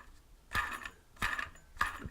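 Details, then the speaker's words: Crashed drone motor spun by hand three times close to the microphone: a rough, gritty rasp instead of a smooth whir, from crash-damaged bearings grinding inside. "hear the bearings and that's not how bearings sound that's that's the sound of bearings that have been crashed and now the bearings are no longer spheres and it's grinding on the inside"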